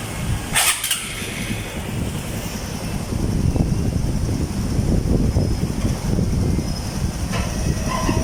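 A short start-up burst, then a steady, even low putter with no knocks or rattles; this small single is idling healthy.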